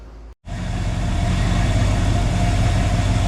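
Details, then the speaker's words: 1966 Chrysler Newport convertible, revived after sitting for years, with replacement starter, timing set and trans fluid added: starts and settles into a steady, even low idle with no stumble and no smoke; running well. "It's not smoking, you know? Hey, running pretty good, to be honest."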